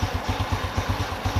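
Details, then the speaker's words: Honda Revo Absolute after overhaul fixing cam chain and worn piston noise: single-cylinder idles with an even steady thump, no ticking or chain rattle, very smooth. Normal idle after repair. "Tuh, halus banget, bro."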